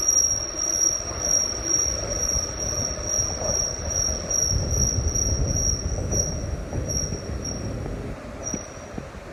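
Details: Rail car rolling: piercing steady high squeal over the rumble and clatter; flex suspected, wheel squeal cause unknown.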